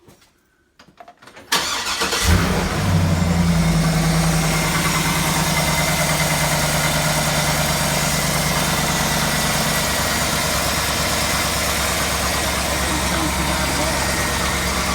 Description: 220k miles with what sounds to be push rod chatter and piston slap upon startup until it warms about half way.